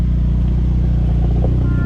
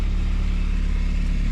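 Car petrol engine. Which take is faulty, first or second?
first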